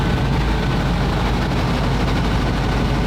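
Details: WWII German petrol vehicle that had rancid fuel in the tank, non-standard electric fuel pump, after starting: steady, even low rumble with no misses, knocks or stumbles; running smoothly and healthy.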